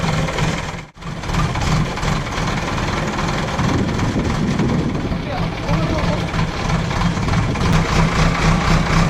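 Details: JCB backhoe loader diesel test-worked digging into a pit after the fuel line was bled, to check that it no longer cuts out while working. A steady chug holds even through the load with no stumble or die-off. Running normally.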